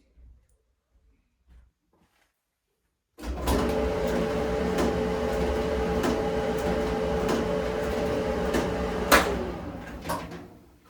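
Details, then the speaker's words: Maytag electric dryer running with a loud rumbling hum and a steady knock about once per drum revolution, then winding down; noise suspected from the front end, cause not confirmed. "So, now that we've heard what it's doing, uh I feel that it's coming from this front end, but we have to get to the drum assembly first."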